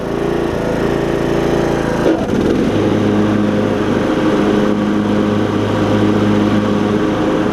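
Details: Briggs and Stratton single-cylinder riding mower engine with new HiPA carburetor, blades engaged for testing: drone deepens as the blades engage, then holds an even pitch with no misses or knocks; normal running under load.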